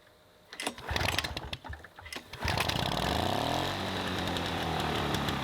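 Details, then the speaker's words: Vintage 1980s Toro GTS push mower, Suzuki two-stroke, being revived, started on choke: hand-pull clatter, then catches and settles into a fast, buzzy, steady run; sounds healthy and strong. "Sounds like a two-stroke. What the heck, man? Holy smokers."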